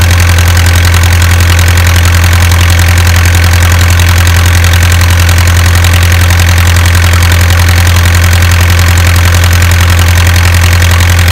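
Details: Isuzu 4BA1 85 hp diesel driving a direct-coupled 5-inch single-impeller pump that lifts water about 800 m uphill to a durian orchard: deep even chug at about 160 beats a minute, no misses or knocks, healthy idle.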